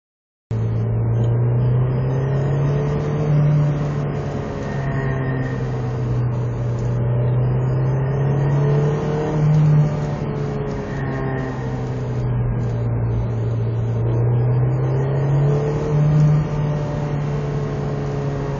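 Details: Honda S2000 (AP2) engine: drone rising and falling in waves, with a periodic higher-pitched buzz and vibration swelling in between 4000 and 4500 rpm; the cause is unknown to the owner.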